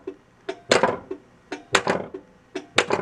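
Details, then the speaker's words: 1982 Bally Mr & Mrs Pac-Man pinball (-35 MPU) in coil test: crisp clicks in groups of three or four as the coils fire in sequence and the solenoid expander board switches, alternating transistors between two devices. Normal solenoid and coil firing. "so you can hear it you can hear it firing stuff now so in fact it is doing something now here's the solenoid expander board here clicking"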